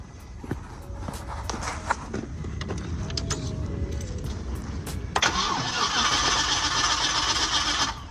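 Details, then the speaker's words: LS-swapped vehicle after a fuel pump change, with fuel pressure dropping to about 10 before the start attempt; several seconds of clatter and cranking before it catches abruptly and settles to a loud, hissy idle; slow to start. Cause suspected, not confirmed. "So, the problem is why it don't crank straight right then."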